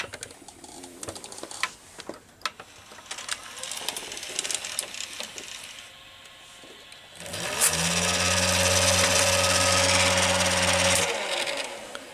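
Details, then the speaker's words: Late-1980s Quasar VH5471-K VCR (Panasonic mechanism), in play: after clicks the capstan motor jumps to a loud steady high-speed whir, running far too fast, and it snapped the tape; electronic speed-control problem. "can see turning hyperspeed when the playing type this isn't normal and it's the first time I see this"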